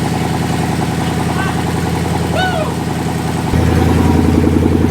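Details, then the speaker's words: Mercedes W210 E320 wagon with a swapped M113 V8, first start with no exhaust fitted: a loud, deep, even burble that settles into a steady idle, then a firmer note as revs rise. Runs clean. "that is awesome hey purrs sounds good damn it runs yeah"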